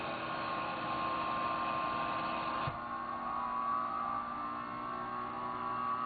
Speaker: and you can hear how much quieter this pump is right out in the open the other one was inside the piano and you can hear how quiet this pump is it's nice and smooth it doesn't have any of that rumbly sound that that 20-year-old pump has